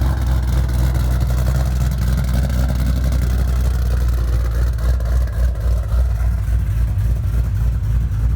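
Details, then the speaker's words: Shelby V8 on E85 with GBA long-tube headers, off-road X-pipe and Magnaflow axle-backs, repaired after nearly two years off the road with motor issues. A deep, steady idle burble, firing even with no misses or knocks: healthy. "so there you have it pretty much it sounds good runs good"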